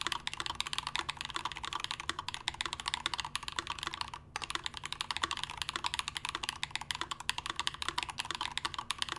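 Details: Melody65 prototype mechanical keyboard, brass plate, Gateron BoB keycaps, Glorious Panda switches lubed with Tribosys 3203, stock springs, not filmed, lubed Durock stabilizers. Fast, steady typing with soft, rounded clacks and no metallic ping or rattle.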